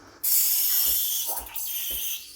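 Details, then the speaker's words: Freshly serviced, warmed-up Breville Barista Express BES870 steam wand. Tip just under the milk surface after purging. Bright steady airy hiss means air is being injected into the milk. Normal frothing. "you want to listen to the sound you want to hear the hissing sound for a bit right now this sound means i'm injecting air into the milk"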